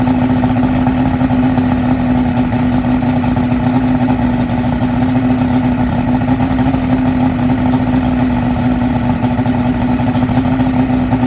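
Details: 2001 Yamaha OX66 150 outboard, remanufactured powerhead with 70 hours, on hose: low uneven idle dropping to 400-500 rpm off fast idle, near stalling, wet irregular exhaust blurping; fuel rail steady 36 psi, injectors cleaned, not every time.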